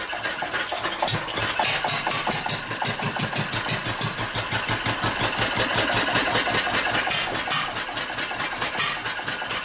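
Sharp pops come unevenly with long gaps between firings, the beat stumbling and fading as the engine starves for fuel.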